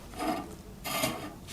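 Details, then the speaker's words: Raleigh Detour 2 wheel, already nearly true, spinning in truing stand with gauge arms set very close: raspy scrub about every two-thirds of a second, once per turn, as the out-of-true spot catches a gauge arm; rim rubbing. "That's scrubbing. Well, that's one way to figure out. I was holding on to both just lightly and I can feel the side that's vibrating that's"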